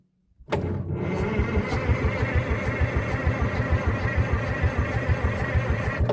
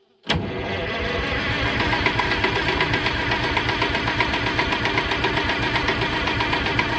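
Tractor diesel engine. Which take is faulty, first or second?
second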